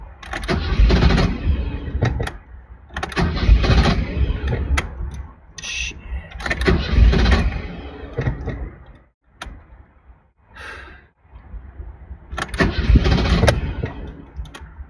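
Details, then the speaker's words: 1983 BMW 320iS (E21), about 40 years old, on a cross-country drive: several two-second bursts of starter cranking with pauses, and it never fires; crank no-start, owner suspects the fuel pump is losing prime and not fully getting fuel. "all right poop it's been a little while car still won't start I'm still stuck here in the parking lot my guess is the fuel pump it's losing Prime it doesn't sound like it's completely getting fuel"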